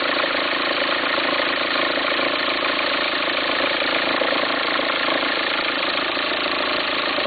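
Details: 2004 VW Passat 1.9 TDI diesel at steady idle: uneven, fluttering rumble about twice a second, like the auxiliary belt slapping or jumping. Owner suspects a worn pulley and asks whether to replace the pulley or the whole alternator.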